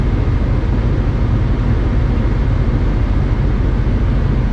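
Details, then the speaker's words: 1996-2000 Honda Civic LX D16Y7 after cleaning the idle air control valve, heat on full: steady even warm-up idle that idles down without stumbling or dying as it did before; fix successful. "I'm happy so far so [Music] good and again you want to turn your heat on all the way and just by the way this is acting uh at this point I'm going to call it a success cuz before it would be stumbling all over the place by now you see it idling down"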